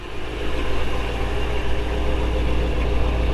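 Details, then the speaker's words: 1955 Chevrolet Bel Air 265 V8 with Powerglide, just started and warming: smooth, even, quiet low rumble at steady idle with no knocks or ticks; barely audible, healthy idle. "barely hear it run. Anyway, there you go."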